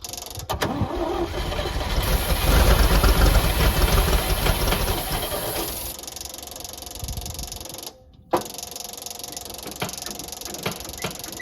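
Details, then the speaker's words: Old Champ forklift, unknown year, sat for years; no fuel yet, small leak; strong even cranking about three turns a second, spins freely without firing; cranks but no start due to no fuel. "all right so this old girl run once we get her some fuel"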